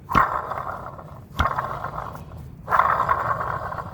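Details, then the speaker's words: Water pump removed from a 2008 Jeep Liberty, spun by hand: three rough, gravelly growling bursts a healthy pump shouldn't make; bad water pump, bearing probably worn out. "And I want you guys to hear the sound that that kind of lets you know that the water pump is bad cuz it should not be doing this noise here."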